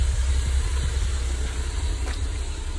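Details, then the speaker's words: Mercedes W201 190E with KE-Jetronic: steady deep idle with uneven puffs and pops at the tailpipe, black soot blackening grass; owner suspects too much fuel, stable idle and normal temperature. "i'll start here as you see it's like um you can hear it oh it's like spitting and you see all the black stuff like look at that even the grass is black so i guess it's too much fuel blowing into the car"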